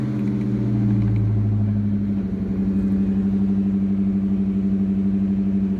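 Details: 2004 Ford Mustang Cobra after a no-start with clicking from the fuse panel, fixed by swapping in a 12.4 V battery: engine catches and settles into a steady, even hum with no knocks or misses; healthy start and idle.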